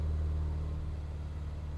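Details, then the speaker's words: Morris Minor petrol engine first start after about 8 months to a year in storage, choke on, fuel pump primed: brief rev then a deep, even rumble that settles; runs cleanly and normally. "Beautiful. Wow, I haven't had this run for a good 8 months."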